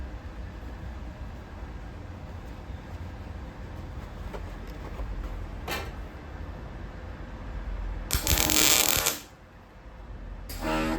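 About a second of steady, even frying crackle from the arc with no popping or spitting; wire speed and voltage sound well matched.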